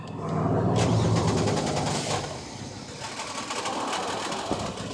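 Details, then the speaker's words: 1999 Pontiac Montana van, no-start fixed by fuel pump replacement, good fuel pressure: quick rhythmic cranking, then catches and settles into a smooth, even idle with no misses or leaks. "There we have it. Up and running. No leaks."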